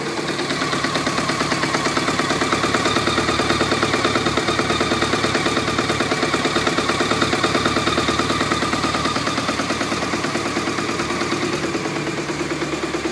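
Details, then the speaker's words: 1991 BMW K100 RS 16V motorcycle at idle: sharp, regular metallic rattle about three per second, heard at the junction between gearbox and engine; owner suspects the clutch but is unsure, with some moisture noted there. "it comes right from the junction between the gearbox and the engine it sounds like it's a clutch problem I don't I am not really sure about it"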